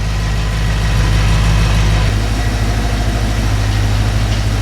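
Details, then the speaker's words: Audi RS4 B7 V8 at steady idle just after a safety oil change with fresh oil, new coolant expansion tank and custom straight-piped exhaust with X-pipe; deep, smooth, even burble with no ticking, missing or hunting, a normal healthy idle. "Psychologically the engine just sounds nicer cuz it's got fresh oil in it."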